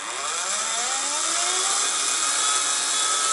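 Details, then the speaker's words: Slot car electric motor just replaced, free-run on a power supply via crocodile clips: steady high-pitched whine with a gritty, uneven edge; gear mesh sounds rough, to be adjusted by moving the motor slightly back. "I'll take that it sounds a little bit rough at the moment but that can easily be sorted out later on"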